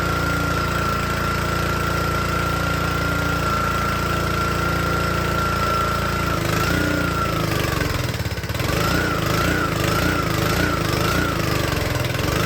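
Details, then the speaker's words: Troy-Bilt log splitter small engine with oil topped up: it holds a steady drone, then drags down and surges unevenly as soon as load comes on, nearly stalling. "Alright, this little engine runs great. And then, as you can hear, as soon as you put load on it, it wants to die."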